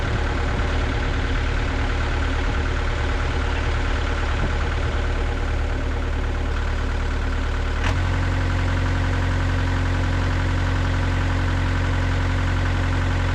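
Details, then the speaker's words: Gehl CTL60 tracked skid steer diesel after repairing a bent connecting rod and fitting new rings: steady, even idle with balanced firing and no knock, speed stepping up slightly midway, no smoke. Normal idle. "there's no smoke coming out of it unless you're like really R yeah no smoke coming out running smooth sounds good"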